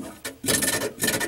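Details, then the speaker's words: GE 18 cu ft refrigerator evaporator fan: short scraping rasps in bursts as it turns; the loose fan motor lets the blade touch the shroud edge, worse with ice buildup. "That's what was going on, is that when this is loose here on this motor, it's going to go ahead and try to touch this edge. And when you get some ice buildup, it's going to make some noise."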